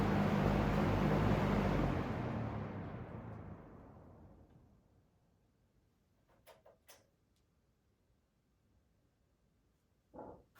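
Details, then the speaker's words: P47 "Golden" fan in harvest gold, old unit before cleaning and motor work, slow and struggling on low, likely gummed up: abnormal spin-down, hum drops off quickly in the first seconds then coasts slowly for several more, an uneven, odd coast-down. "How's that spin down? It's kind of a weird spin down. It slows down fast and then it just keeps going. It's one of those weird ones."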